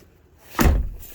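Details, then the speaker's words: 2007 Mercedes-Benz Viano W639 front door after replacing the worn door holder catch strap (check strap): a single soft thunk through the detent, no more loud clicking, now working properly. "So this is now in perfect working order. No more loud clicking noise. You can hear the catch."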